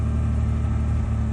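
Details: Abandoned 1986 Ford Ranger XLT SuperCab 4x4, sat 16 years, fuel pump leak patched: steady, even low idle with a smooth unbroken rumble and no misses or knocks.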